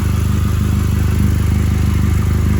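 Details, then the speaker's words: Honda Civic at idle, heard from under the car: a fast, even puffing tick on the exhaust note. Leak is in the flex pipe itself, not the welds; the pipe has a dent where it bottomed out. "That's not the first time I've replaced one of these flex pipes because of a leak."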